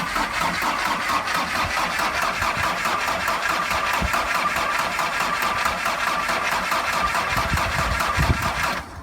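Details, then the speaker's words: VW T4 van with a mechanical fuel pump, sat for four years, after fitting a reconditioned starter motor, on jump leads: starter turns the engine at about four pulses a second for several seconds but it never fires; cause unconfirmed, fuel delivery suspected. "okay so uh as you probably tell it didn't start the starter motor worked it turned over but it just doesn't seem to quite have enough it's a mechanical fuel pump and"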